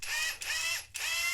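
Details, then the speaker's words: New Hyper Tough 20V Max brushless 1/2-inch cordless impact wrench, 350 ft-lbs: high, harsh buzzing hammer rattle in three bursts, rough and grating rather than a clean impact; owner says it sounds terrible, cause unknown. "even that sound, it just sounds terrible."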